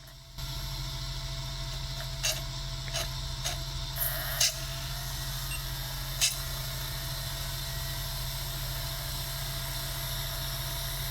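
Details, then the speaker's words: Sega Dreamcast GD-ROM drive with failing capacitors, after reopening and closing the tray: steady even spin hum with a few soft head-seek clicks, no struggling; drive now reading the disc normally, sound varies by game. "And now it's working. It's a little bit different sound to the drive. It depends on the game."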